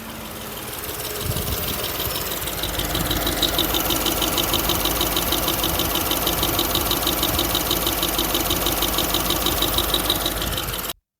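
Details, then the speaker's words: BMW F12 650i twin-turbo V8 (eight gears, over 400 hp) at steady idle with a quick, even light ticking about three per second. The tick appeared halfway back from a trip to Long Lead, and the car roared under acceleration; top-end tick, cause not confirmed. "that yeah the funny ticking was I noticed straight away once we got halfway back from long Le"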